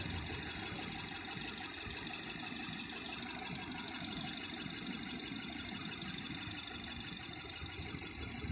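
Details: Nissan Tiida at idle: loose uneven pulse, roughly three beats a second and not quite regular; misfire, suspected spark plug problem.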